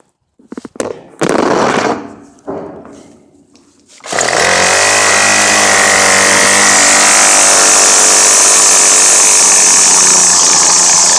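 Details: Troy-Bilt TB22 2-cycle trimmer that had been bogging down, run after carburetor adjustment-screw adjustment: it pulls over, catches, and runs at a steady high buzz without bogging. Normal running.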